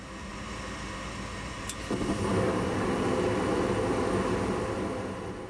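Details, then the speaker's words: Gas furnace being checked for a bad flame sensor. Low rumble jumps to a steady, louder whoosh like little jet engines as the burners light and stay lit; ignition is normal. "listen for it to turn on you should hear the gas ignite it'll sound like little jet engines"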